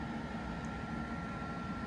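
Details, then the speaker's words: Household water heater firing after the water expansion tank was replaced and hot water turned on: steady, even hum with a faint fixed tone and low rumble. It is working normally. "Now I'm going to go and check how the hot water is working. Yep, that noise, that humming means that it's working."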